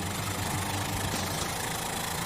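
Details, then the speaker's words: 1969 Mustang 302 V8, long-dormant, after hard donuts: rough, stumbling idle with fast uneven clatter, barely running before it shuts off; collapsed lifters. "wooo right about now I recommend shifting cuz that engine does not sound happy we still have to get to the hotel we still have to get back to the airport and it sounds so sickly ah it's running so bad barely running"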